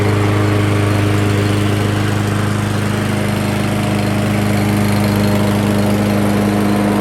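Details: Craftsman Gold Series 6.75 Briggs & Stratton mower engine after cleaning the plastic carburetor and white jet assembly: steady, even drone, constant pitch, no surging or misses; runs normally.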